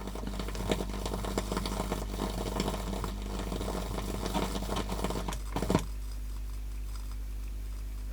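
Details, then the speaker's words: Pioneer SX-450 receiver: dense irregular crackling and sizzling pops over mains hum, then quiet hum alone; swapped-in power switch contacts arcing badly, fine when bypassed with a clip lead. "I can hear it crackling in there pretty badly. Oh, it is really arcing."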